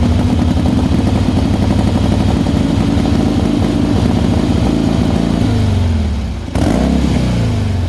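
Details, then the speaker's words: 1979 AMF Harley Sportster after a roadking tank swap and new parts; loping, uneven V-twin beat that wanders and nearly dies before picking back up; rough idle that still needs sorting, cause not confirmed. "but you know we got it running we got it riding um but i reckon you know you'll probably fix it within a day and get it idling right"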